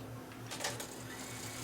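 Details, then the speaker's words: Yamaha K-1020 cassette deck after reassembling the chassis, fast-forward winding: steady motor whir with a short clatter early on, brisk even spin with lots of torque; normal winding, though play later skips, possibly from a slipping idler. "Okay, got lots of torque. It's going like crazy forward."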